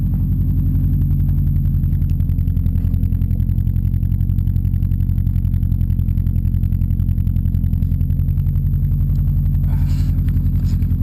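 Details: Subaru boxer engine built with Wiseco forged pistons, 0.0025-0.003 in piston-to-wall clearance, cold-start idle at about 2°F after -15°F overnight: steady rapid hollow clatter of piston slap that persists when warm and gets louder in colder temperatures.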